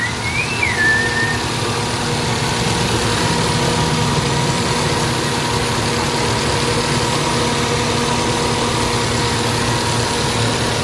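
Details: Toyota Vitz after fix for engine jerking and vibration in reverse and drive, checked from the front for leaks: steady, even idle with smooth low hum, no knocks or misses; running healthy.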